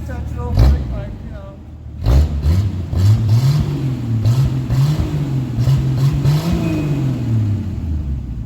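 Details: 1982 Ford Granada coupe, choke on, with large exhaust leaks under the car: the pipe has separated and runs straight before the muffler, the flange rotted. Loud, raw, unmuffled rumble that booms with each rev.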